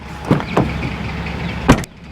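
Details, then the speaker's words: New 2024 Toyota Tacoma TRD Off Road i-FORCE: solid door thumps, each followed by brief loose rattle from the rear as the soft-close tailgate strap slaps, only when closing the passenger-side door; first-year model flaw. "Oh, you hear that? We can tell you what that is. It is the strap for the tailgate, which is soft close."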